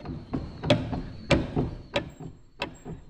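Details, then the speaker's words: Lawn mower part bent inward after the mower hit a low spot and a stump, now catching as it turns: irregular sharp ticks, one or two a second, over a quiet background; fix is bending it back outward with an adjustable wrench. "You hear that tick, tick, tick? All it needs is just a adjustable wrench put on it and bent outward. Because like I said, when I was mowing, the mower hit a low spot."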